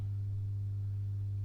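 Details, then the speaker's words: Masco M25N valve amp, poorly re-capped, on current-limited bulb tester: volume coming up reveals steady low buzzy background hum with nothing playing; HT B+ only 134 V; mains hum from insufficient filter capacitance. "you can hear the volume's coming up now and and we've also got some real bad background home which tells us that this amp hasn't been being recapped very well"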